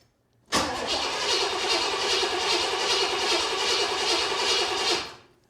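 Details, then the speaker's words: 1979 Corvette with new crate V8, first start attempt, fuel system not primed: starter spins it steadily with an even churning rhythm but it never fires; crank no start. "all right I've got gas in the tank but I haven't primed it so let me go get some gas and pour it down the tube"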